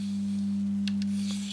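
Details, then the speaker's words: Sony TA-V3 stereo amplifier: loud steady low hum near 200 Hz with no music, caused by a broken ground connection leaving 15 volts on the board's ground plane. "so um what's happening is we have 15 volts on the ground plane of this which is also that noise you're hearing"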